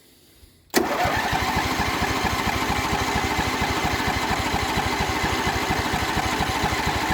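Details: Atlas riding machine with replacement 25 hp Briggs V-twin, separate choke cable, cold start; silence, then it catches at once and settles into a steady, even idle of about three beats a second; normal cold start.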